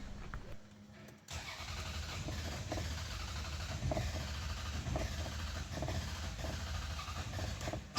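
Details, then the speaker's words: Toyota Camry stalling on the road, misfiring and poor revving; long starter cranking before it catches, then uneven stumbling run with irregular dropouts; misfire from a dead ignition coil. "এরকম long self লাগে গাড়ি engine start করার জন্য অনেক সময় start হয়ে যায় missing করে"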